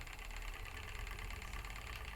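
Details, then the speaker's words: Spinning wheel with light, quick rattling ticks repeating evenly as the wheel turns. It has always rattled. Oiling the flyer shaft stops it briefly, but it returns within 20 minutes. Source not found. "always rattled and it'll stop briefly once i um if i oil the flyer shaft and all that lot but it will start up again within 20 minutes"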